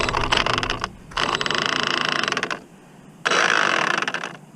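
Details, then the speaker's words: Redcat Kaiju RC car, 12T motor, before a speed run: rough gritty ratcheting in bursts about four clicks a second as the drivetrain turns; gears grinding, spur mesh possibly too tight (suspected). "don't feel right I don't know if I should run this right now or not you'd hear that I think I'm too tight on that spur well there's definitely something going on with this"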